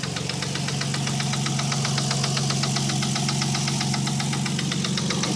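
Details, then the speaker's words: 1990 Nissan 300ZX warm idle around 700–900 rpm with fast, sharp, light clattery ticking about four per second; owner says not rod knock but an extremely loud, bad lifter tick. "it's definitely not rod knock it's just a really really really bad lifter tick but it's Extremely Loud"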